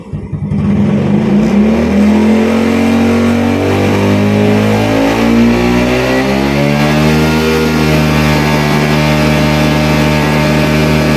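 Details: Yamaha Vega R New / Vega ZR / Jupiter Z carbureted daily motorcycle: revs climb slowly, then note goes ragged and stumbles (brebet) at mid rpm at a marked slide opening; attributed to wrong carburetor jet needle profile.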